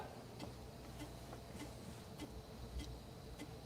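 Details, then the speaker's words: HD floppy drive in a vintage Mac formatting a high-density disk: sharp evenly spaced ticks about every 0.6 seconds over faint hum as the head steps and clunks; initialization then failed, head may have marked the disk. "You can you can hear it clunking away here. Scanning it."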